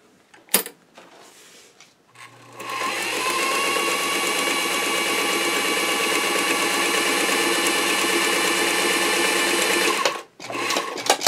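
Steady, even whir with a fast, regular stitch beat and no knocks or binding; the machine is running smoothly and healthy.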